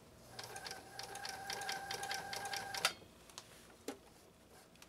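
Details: Repaired 1980s New Home SL2022 all-mechanical sewing machine with a 1.0 amp motor, set on high: brisk, even clatter at about three stitches a second, then it stops. Normal sewing under load.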